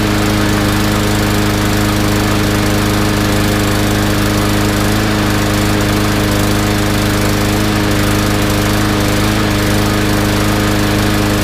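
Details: Yard Machines mower after draining stale gas and cleaning the carb, still running rough: slightly uneven, hunting beat; spark plug tip white, burning lean and starved for gas; carb jet suspected undersized, to be cleaned or drilled.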